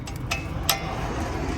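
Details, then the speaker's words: Volkswagen rear brakes giving two sharp metallic clinks over a low rumble. The brake pads are loose because the anti-rattle clips are missing, so they rattle over bumps and potholes. "aquí podemos ver este ruido que hace mucho ruido las balatas andan sueltas aquí deben traer un ajuste pero no lo trae"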